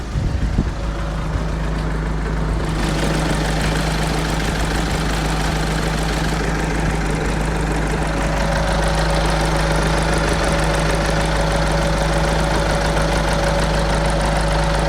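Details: Seat Leon FR CR170 2.0 TDI diesel just after startup: noisy start, settling into a clattery, slightly uneven lumpy idle; owner asks if normal, cause not confirmed.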